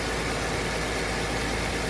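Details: 2002 Volkswagen Passat V6 after coil pack replacement for a misfire: steady, even idle under a wash of hiss with no misses or stumbles; engine running smoothly.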